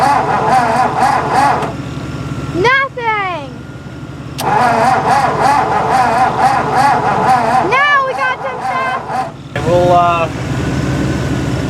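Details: 1958–59 Ford F600 grain truck, 330 V8, long unrun and being kicked over. The starter churns steadily at about four beats a second, stopping and restarting, and the engine never catches. Later the float bowl was found overfull. Cranking without starting.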